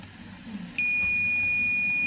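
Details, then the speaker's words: Toshiba 32P2400VJ 32-inch LED TV with blank picture but working backlight, T-con board suspected: measuring capacitors on the diode/buzzer range gives a short rustle then steady high continuous beep, a shorted capacitor. "Coba kita lakukan pengukuran di beberapa kapasitor mungkin ada kapasitor yang short"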